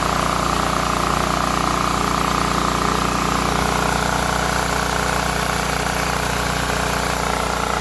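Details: Small single-cylinder engine that wouldn't start despite spark and fuel, after cleaning the clogged carburetor ports and starting with choke and carb cleaner: it putters at a fast, even beat with no misses, surging or stalling.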